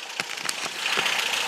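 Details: VW Beetle air-cooled flat-four idling in neutral after carburetor/fuel system fix with filter relocated underneath to stop vapor lock: steady, even idle with light mechanical clatter, no stumbling; running smoothly.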